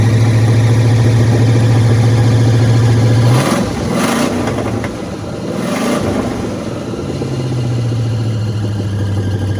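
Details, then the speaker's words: Chevy truck with small-block Chevy swapped in, first start, no exhaust fitted so it runs straight off open manifolds; oil on the manifold makes it smoke; loud raw steady idle drone with two throttle blips rising and dropping back. "I still need to do exhaust on it but I figured I would uh let you guys hear it it has no exhaust so it's just open pipes but I will try to uh start it up for you guys"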